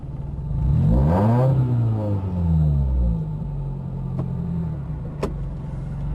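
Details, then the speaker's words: Toyota GT86/Subaru BRZ/Scion FR-S on E9 fuel with a tune still in progress: revs climb hard, then sag and hang before the next gear pulls. The 1–2 automatic upshift takes about 1.2–1.3 seconds and the cause is unconfirmed. "Even though it sounds like it's in gear and it's pulling, it's not really pulling yet. The transmission's not really engaged yet, and you can hear it. And then it engages, and then it starts making another run, and that's about 1.2 to 1.3 seconds."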